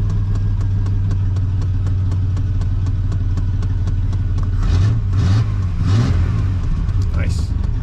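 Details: 1993 Chevy Silverado 4.3 V6 automatic 2WD, which had an erratic idle and died on cold start, after replacing fuel pressure regulator (GP Sorensen 88-225); low steady rumble with even beat, no stumbles or hunting; normal idle.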